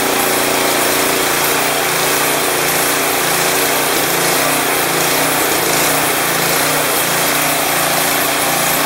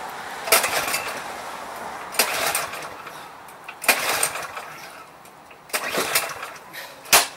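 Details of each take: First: Craftsman 179cc 22-inch snowblower with Powermore engine, previously suspected of surging, after adding Seafoam and taking it off choke: small single-cylinder engine holds a steady, even idle with only a very subtle irregularity. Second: Craftsman 179cc 22-inch snowblower with Powermore engine, primed, old contaminated fuel in tank: five pull-start attempts about two seconds apart, engine never catches; no start from stale fuel.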